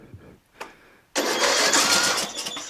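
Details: John Deere L100 lawn tractor, 17 HP Briggs Intek OHV, new stator, starter, magneto and battery, starting fluid sprayed, choke applied: a few quiet cranks, then the engine catches abruptly and runs with a loud, busy rasp; starting on choke.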